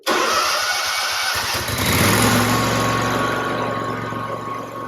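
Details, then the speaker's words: Toro Grandstand mower engine started after oil and oil filter change with fresh oil; brief crank, catches cleanly and settles into smooth even idle, no knocks or misses, healthy start. "So we should be all set. I'll turn it on and let it run for a little bit."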